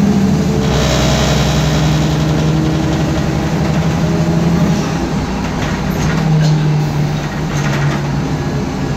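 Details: 2010 MAN Lion's Classic 12 m CNG city bus (D2876LUH02 EEV, 290 hp, ZF Ecomat 6HP504C automatic), recorded inside while moving: a steady low drone with a constant whine over road and engine noise, from a noisy differential.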